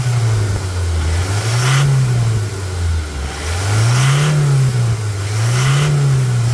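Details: 2020 Toyota Hilux single-cab diesel, hard-used, with fresh oil after a suspension, brake and steering box/pump service: engine swells smoothly up and back down three times, pitch rising and falling cleanly, no knocks or rattles; normal revving.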